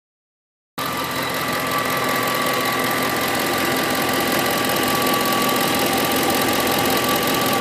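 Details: 2008 Ford F-150 5.4 V8 at idle with a light, regular tick about three to four per second, started about a week ago, cause unknown.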